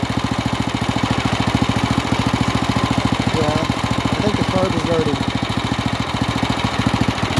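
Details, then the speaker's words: Stock carburetor on an off-road kart's 301 engine, after throttle adjustments: fast popping idle at about ten beats a second, slightly uneven and lumpy. Rough running and stalling; the owner suspects a dirty carb or a lean mixture, unconfirmed. "i think the carburetor is dirty and we need to clean it out"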